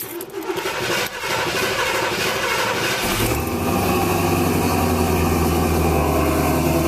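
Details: 1970 Cadillac Eldorado V8 with a 3-step carburetor, cold start. The accelerator was pressed once to set the choke. About three seconds of even cranking, then it fires cleanly into a smooth, raised choke idle. This is a normal cold start with fast idle.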